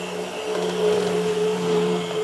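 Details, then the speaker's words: Used Atlas EMD S9 model locomotive, non-sound: thin steady whine over motor hum, absent at very slow speed, swelling as speed increases; overlubrication or lubing in wrong spots suspected. Motor whine. "There it goes, that whine. Now, real slow speed, it's not there. Still not there. Okay, there it is. When the speed increases, you can really hear that whine."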